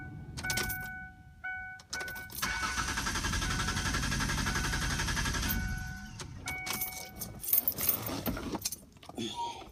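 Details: 2002 Ford Explorer Sport Trac with new battery, jump start also failed: starter spins engine steadily about three seconds with warning chime but it never catches; crank no start, owner suspects fuel pump.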